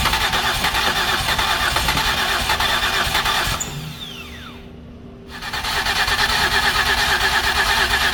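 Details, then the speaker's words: 2008 Ford Escape with previous repairs, just started after a crank-no-start: running with an uneven stumbling beat, dipping near stall then recovering; blown head gasket pressurizing the cooling system. "so I hope everyone can hear we are running but it does not sound good"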